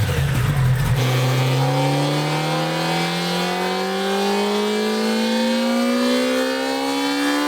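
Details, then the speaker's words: Stock Kawasaki ZX-10R, newly broken in, on a baseline dyno pull: a loud whine climbs steadily in pitch with engine speed above the exhaust. The riders suspect the transmission gears are winding. It was not heard on other, non-stock bikes, and the cause is unconfirmed. "such a loud whine coming out of it. Yeah, that almost sounds like gears, like the transmission gears are winding on it."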